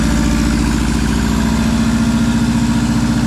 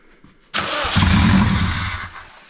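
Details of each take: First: Subaru WRX first start after nearly 4 years sitting, new clutch and turbo inlet, no exhaust, intercooler or radiator: loud raw open-pipe burble at a steady raised idle with an even beat and no knocks, sounding healthy. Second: Subaru WRX first start after about 4 years stored, no exhaust, intercooler or radiator, after clearing security mode; starter whir, catches and flares then sags and stumbles out; rough idle, MAF sensor suspected.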